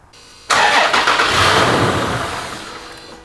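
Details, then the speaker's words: Toyota 4.0L V6 just after a spark plug change, first start with the battery reconnected: catches sharply, runs about a second, then dies. Normal after the battery was disconnected. "Okay, she started it and it died right away. Don't worry about that. That's normal. That's just because we had the battery disconnected for a little while."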